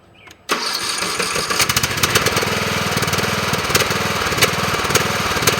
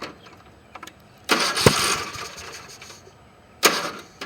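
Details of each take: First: Briggs & Stratton mower engine fitted with a chainsaw compression relief valve: catches at once with the compression relief audible, settling into a steady, even putter with no stumble; healthy start. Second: Briggs & Stratton engine with a homemade compression release (1/8 pipe nipple through the cylinder head, chainsaw relief valve), release not engaged: two harsh pull-start bursts stop dead without catching as the engine barely turns against full compression.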